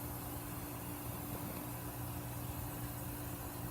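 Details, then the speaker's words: Well pump converted from 220V to run on 110-115V, pumping from a water bin: steady even motor hum, constant low tone, no knocks, surges or squeal; normal running, owner unsure whether it will overheat but it seems fine. "okay stress out sounds good main question this will overheat though alright seems to be doing good to me"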